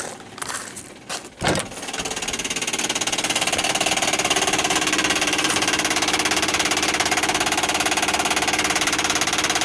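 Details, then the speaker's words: 1959 Ford Galaxie Fairlane 500, electric dash clock: a rapid, even high-pitched clatter about three per second after a few bumps, the clock's auto-rewind buzzing; unhooking its inline fuse stopped the noise. "so it was definitely the auto rewind or or just the clock itself making noise"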